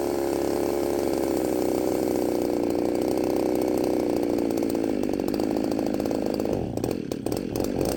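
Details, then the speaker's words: Ported Poulan 3750 chainsaw, warm, on an adapted Chinese carb meant for an Echo 590: a steady high buzz, then uneven stumbling and surging near the end. It runs erratically when warm; a carb swap didn't cure it and the owner suspects a cracked case. "when it gets really good and warm it uh it starts running erratically and the IT Tunes erratically and nothing really quite makes sense"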